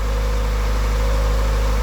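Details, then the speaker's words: 1988 Honda Accord, ice cold in January after sitting about a month and a half, fuel pump not primed: smooth, steady idle with even low hum, no misses or knocks; engine sounds good, the owner's power steering noise not heard here. "and you can kind of tell the the motor sounds good I don't think we're going to be able to hear that noise that I've been"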